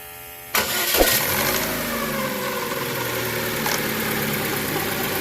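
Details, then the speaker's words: Chevrolet Cruze after replacing both intake and exhaust cam phaser gears and setting timing: engine catches cleanly and idles evenly, with no ticking or rattle from the top end; intake gear noise gone. "pueden ver ya el sonido se le fue ya no se escucha bueno en este caso pues fue el engrane"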